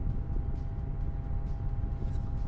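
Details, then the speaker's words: Coolman Gorilla PC case with its fans powered from Molex at full speed and the top glass panel fitted: a steady low fan roar with a constant mid-pitch tone. Airflow is obstructed by the top glass, which makes the fans louder. "so let me see if i can put the top glass on the noise even amplifies because it's now obstructed air is only coming to the side so you can hear let me get closer with the microphone you can hear"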